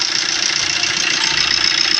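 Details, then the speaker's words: Engine after replacing a broken part that caused a tapping noise inside: fast, even idle with a steady hiss, no ticking or tapping, quiet valvetrain; running normally after repair. "देख सकते हैं बिल्कुल smooth sound हो गया मेरा सब कुछ चल रहा है गाड़ी बराबर है"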